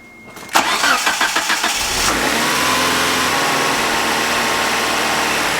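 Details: 1992 Mitsubishi Galant VR-4, warm, restarted with two plugs grounded, before bypass air screw adjustment; cranks and catches, then idle slowly rises and falls, hunting rather than holding steady, idle surge.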